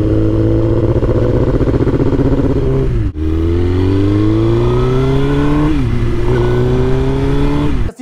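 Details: Suzuki GSXR1000 (2005-2006) motorcycle after misfire repair, previously misfiring with no codes and not revving past 5,000 rpm; now revs up and settles back smoothly with no stumbles or misses.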